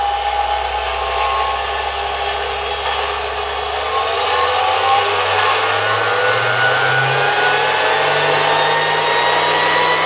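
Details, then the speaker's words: Zelmer 01A vacuum cleaner (1973) type 34 motor, removed from cleaner, run at reduced voltage via regulator: smooth humming whine climbing steadily in pitch as it spins up, no rubbing or rattling; runs cleanly. "I feel like the rotor spins quite nicely. Let's try to start the motor again at low voltage."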